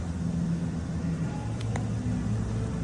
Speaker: This Dodge Caravan was rattling sound when we check. The flywheel was cracked.